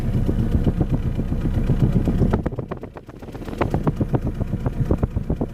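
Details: 2010 Vauxhall/Opel Astra H 1.6 petrol, cold idle at exhaust tailpipe, petrol smell: lopes unevenly, about four pulses a second, sagging and stumbling, surging; misfire from a dead cylinder with badly low compression.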